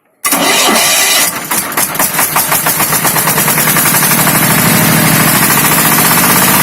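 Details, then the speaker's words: ZS(SH)1100 15 hp single-cylinder diesel walk-behind tractor engine after replacing balancer shaft bearings (broken cage caused whining): starts cleanly, even smooth thump with no rattle or knock; quiet and soft as when first brought in. "Как видите, звучание вернулось на круги своя. Все работает тихо и мягко, как работало, как только его привезли."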